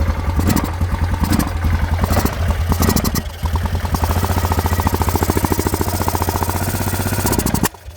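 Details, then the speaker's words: Yamaha Grizzly 600 ATV with a replacement Chinese carburetor, untuned. It stumbles and chops unevenly when blipped, then cuts out. A wrong jet is suspected (spec 115, spares 150/130, installed size unknown), not confirmed. "Oh, yeah, good. It's running like shit already. Alright. Okay. I got the China carb on. Yeah, it's definitely not tuned right."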